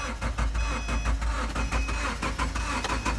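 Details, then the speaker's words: 2010 Subaru Forester (3rd gen) after dead battery replaced, sat a few days; cranks steadily for a while before catching. Normal start. "And there we go, it fired up. It hasn't been on for a few days, so it took a while to turn over."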